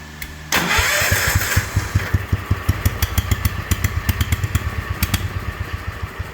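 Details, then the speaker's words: Patio tractor small engine with a new muffler, adjusted to about 3500 rpm: catches into a lumpy, uneven putt-putt and won't come off idle cleanly, needing a little choke; owner blames the Chinese carburetor. "Doesn't run the freaking best, I'll tell you. Doesn't want to come off idle. It's that goddamn Chinese carburetor."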